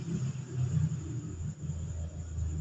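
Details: Honda Vario 150 with a rough judder and clatter from the rear at take-off, caused by clutch shoes not engaging together: after the repair, a low engine rumble rises evenly as the scooter pulls away with no shudder; the clutch engages smoothly.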